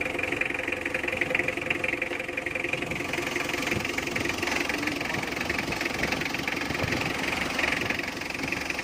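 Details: Mitsubishi L300 diesel, hard-start complaint, after fitting a new battery: steady diesel clatter with even beat, no stumbling or misfire; idles smoothly.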